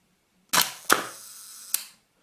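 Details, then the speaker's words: Hasselblad Planar C 80mm f/2.8 T* leaf shutter at 1 second after servicing the sticky slow gear: crisp release click, soft gear buzz about a second, clean closing snap; normal 1-second operation. "Let's see how 1 second is. Wow, it looks good. Yeah, I think it sounds like it is actually very good."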